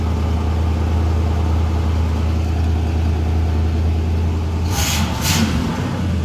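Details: Cold 1968 Oldsmobile luxury sedan, Rocket 455 V8, 48,000 miles, original: deep cold idle with an uneven lumpy beat and the odd skipped pulse; misfire at idle.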